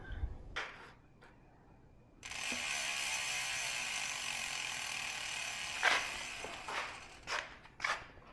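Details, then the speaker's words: 2024 YT Decoy Core 4 e-mountain bike after about 100 miles: fine, rapid ratcheting buzz as the rear wheel freewheels, with sparse clicks; normal pawl noise from its low-engagement freehub. "I don't like low engagement hubs the difference between a low engagement Hub and a high engagement Hub to me makes it difference between pedal striking and not pedal"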